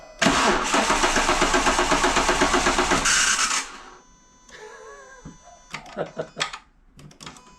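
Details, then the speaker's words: Renault 182 during timing belt and dephaser replacement: starter motor cranking with ignition off, even churn about four beats a second for three seconds, no firing; cranking without firing. "h on see that sounds like Star mot that that does sound like stter motor let me give you some ignition"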